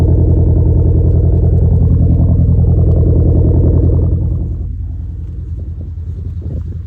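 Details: 2011 Hyundai Genesis Coupe: deep steady idle rumble with faint uneven lope, then settling quieter; cylinder 4 misfire, a common issue.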